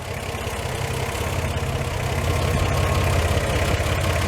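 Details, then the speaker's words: 1949 Chevy truck fitted with a lopey aftermarket cam, idled at 600 RPM rather than the book's 450–550 to keep it smoother; lopes more when idled down. Low, deep idle with an uneven rolling lope: normal lumpy idle from the performance cam. "It's got it's a lopey cam, and if I idle it down to 450 to 550 like the book says, it really lopes, and I like stuff smooth, so that's 600 RPM."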